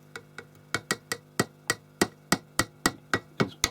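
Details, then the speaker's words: Roberts R707 radio, IF modules (AM and FM) gently tapped while listening at the speaker: sharp irregular pops and crackles, three or four a second; intermittent connection inside a module, tin whiskers suspected, not confirmed. "just a gentle tap and we're listening for crackles and and pops from the speaker"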